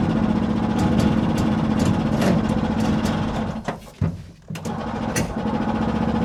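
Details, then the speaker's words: 1970 Willam Fourgonnette micro van, 125 two-stroke revived after 20 years: long uneven cranking, about three beats a second, catching briefly then dying; flooded, with spark plug gap too tight, hard start. "Cut off. Flooded. Flooded and gap too tight, which I'd noticed before."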